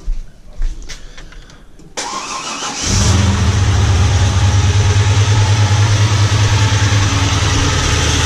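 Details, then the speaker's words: Holden Commodore unmoved for over a year, started on old fuel: fast, even valvetrain ticking clatter over a steady idle, suspected lifters on the camshaft. Valvetrain clatter at idle. "going to leave this running for just a bit as you can hear the clatter going on that is a whole bunch of Fe drawers for the cam shaft which you know I hate"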